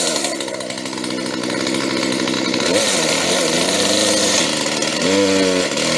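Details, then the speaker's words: Used chainsaw with a marked cylinder, right after its first-pull start with no setup; crisp two-stroke buzz revs up cleanly and drops back smoothly, no bogging or misses; sounds healthy, normal running. "she sounds really good and this was not a setup we took her straight out and started it and it started on the first try"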